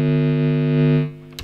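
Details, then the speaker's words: Power supply adapter bundled with an isolated effects-pedal power supply, heard through the guitar signal chain: steady low buzzing hum with a harsh edge; the adapter itself is noisy. "so first of all what I did I got this power supply that came with it and I thought well I'll check to see how noisy the actual power supply is pretty noisy"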